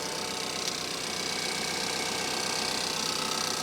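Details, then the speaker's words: 2014 Chevy Malibu with Ecotec engine, 94,869 miles, hood open at auction: steady idle with a light, even injector tick over a smooth hum, no misses or knocks; healthy engine. "Look at that. And she's as steady as a rock."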